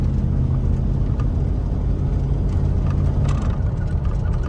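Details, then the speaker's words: 2001 Dodge Ram 1500 2WD on test drive at speed after wheel hub assembly replacement: steady low road rumble and engine drone, no growl or rhythmic hum; earlier passenger-side noise and vibration gone. "See, you can't hear the vibration or nothing no more. It feels good."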